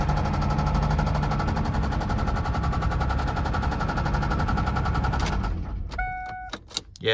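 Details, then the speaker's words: 2003 Ford F-150 with a 4.2 V6, oil found bone dry: hard rhythmic knocking about two to three per second over the running engine before shutdown; the owner suspects a connecting rod has let go (rod knock), cause unconfirmed. "It'll fire right up though. Don't you guys hear it? It's um hating life though. I think one of the connecting rods is already let go."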